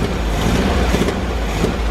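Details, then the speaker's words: Air-cooled VW Bus first start after about four minutes idling: low, even rumble holding steady with no misses or knocks; idle smooth, though the old empty muffler is blown out and the fuel pump leaks. "She's been idling for about 4 minutes now, and the idle is pretty smooth. Obviously the exhaust needs some work."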